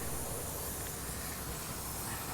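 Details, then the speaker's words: Tyre puncture being plug-repaired, just after the hole was reamed clean: loud, steady, unbroken rushing hiss as air escapes rapidly through the puncture. "Now we're losing air quite rapidly, and we want to keep some of it because it really does help us get the plug in."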